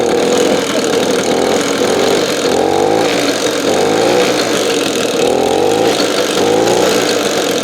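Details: Simson SR2 two-stroke moped from the DDR, first start, loose positive connector, carb later found overflowing: crisp buzz rising and falling with throttle about every 1.5 s, pulling evenly; sounded nice and beefy.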